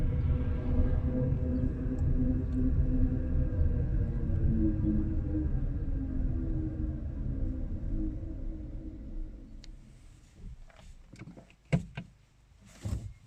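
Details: Renault Zoe coasting downhill in neutral: loud steady low droning hum with faint high whine, slowly fading as the car slows; source undetermined.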